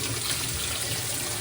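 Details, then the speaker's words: GE top-load washer after drive belt replacement: steady even rush of water filling the tub, no knocks or squeals; normal water fill. "As you can see, we are filling up. Everything is looking good,"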